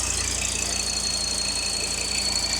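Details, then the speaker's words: Salvage Mk1 Audi TT RS, 2.5-litre five-cylinder, warm at about 60°, fuel trims near −2: a steady high whistle holds constant over a low, even idle. Whistling at idle; suspected air leak or vacuum pump, not pinned down. "yeah but then come and listen to this come and listen to this noise as well dab whistly whistley yeah"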